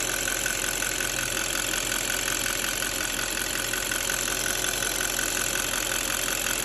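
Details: D8 diesel engine at idle: sharp fairly even ticking about three per second over bright clatter; engine ticking, cause not identified.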